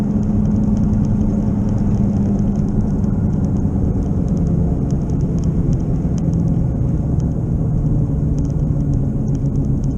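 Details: Car cruising faster on the interstate, noise worsening with speed after 15 mph in the driveway; low droning rumble under road noise, long mistaken for an engine knock, not yet fixed; worn wheel bearing.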